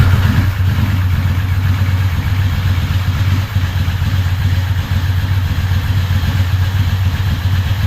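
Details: Ducati 916 after replacing the fuel pump quick-connector O-rings to stop fuel leaks: steady, even twin idle with no knocks, though idle is a little slow.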